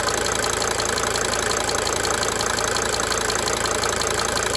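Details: 1992 Mercedes-Benz 300D 2.5 turbo diesel at idle, with a sharp tick pulsing through the diesel clatter and fading in and out; diesel injector ticking.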